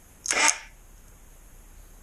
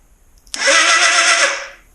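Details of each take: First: 1981 Suzuki GS650GL during rebuild teardown: short thin starter whir, then a labored spin that dies without firing; the battery smells of rotten eggs, so a failing battery is starving the starter. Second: 1981 Suzuki GS650GL during rebuild, starter run off a different battery: strong, fast, even whir for about a second, spinning freely; far more power than before, confirming the original battery is shot.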